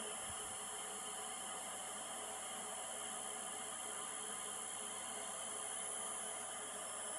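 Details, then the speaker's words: Newly acquired wood lathe running at steady speed: smooth, quiet whir with faint even hum, no knocking or rubbing; normal running. "Listen to this. It's so quiet. Wow. I love it."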